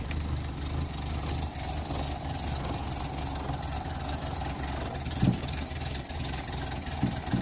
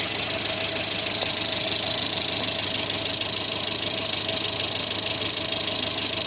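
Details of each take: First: 1986 Renault Super 5 GTL 1.1 petrol, cold just after first start in months: a steady low idle with an uneven, slightly lumpy beat and a few thumps; owner thinks too much choke is on and it runs rich. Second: 1986 Renault Super 5 GTL 1.1 petrol: a steady, even idle with a smooth hiss and no misses or knocks; owner calls the idle fairly stable, though light smoke rises near the starter.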